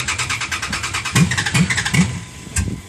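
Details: Cold hard start on a friend's Dodge Ram truck: uneven cranking pulses with a few weak firings that never catch into a steady run while the gas is pumped; the cold engine is reluctant to start.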